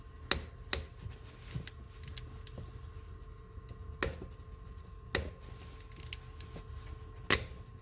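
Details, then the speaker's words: 2005 Ford F150, third spark plug being removed, plugs corroded and carboned: irregular sharp cracks and snaps a second or so apart as the seized plug fights the ratchet on its way out. "So this is the third spark plug, and it's starting all its crackling and snapping just like I described."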